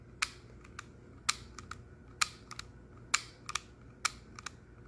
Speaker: all that clunking that you hear there is the 3d printed plastic wearing itself in on this plastic cardboard looking trigger